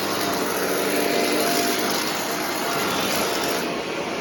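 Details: Shark vacuum cleaner after a sock clog was cleared from the hose and extension wand: a steady, even motor roar with constant airflow rush and no whistling, surging or choking. The suction path sounds clear; running normally.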